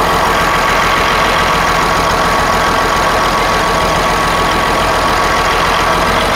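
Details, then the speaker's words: Western Star truck left to rot for years, first start attempt: loud, ragged diesel clatter with an uneven beat that never settles; fuel is pumping fine yet it runs awful after long storage, cause not yet known. "okay so this thing's pumping good so i don't know what the deal is oh man dang it well try and crank it yep man that's awful"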